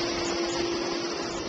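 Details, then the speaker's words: New Centurion E+ two-speed pool pump, solar controller on auto kicks it to high speed, current draw and pressure back up: steady even motor hum with firm whine and water rush, no rattle; normal high-speed running. "you can hear the pump has come on hard and our current draw is up again"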